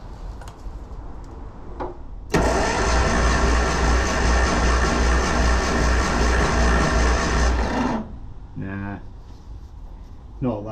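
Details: 1974 Classic Mini, unused for many years, gummed carb, compression about 50: starter churns about three turns a second for five seconds without catching; low compression suspected.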